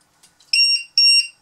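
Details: LiPo voltage checker plugged into a battery: two short, high-pitched beeps about half a second apart on connection. It powers up normally before showing total and per-cell voltage.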